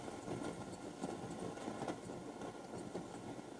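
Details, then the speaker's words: 1969 Telefunken Gavotte 201 tabletop transistor radio powered up on a bulb limiter at about 186–207 V, testing the tuner: only a steady rough rushing noise and no station; possible antenna break suspected, unconfirmed. "damn nothing huh so I do think that we're gonna have quite a bit of work here"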